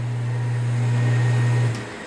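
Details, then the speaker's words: Half-HP peripheral water pump after repairing and resealing with an O-ring: a smooth, even hum at constant pitch with no rattle or grind, then a clean wind-down at switch-off; the pump runs healthy. "vamos ahora a mostrarte la bomba encendida para que tú veas que ya no va a tener ese sonido que tenía molestoso o ese ruido"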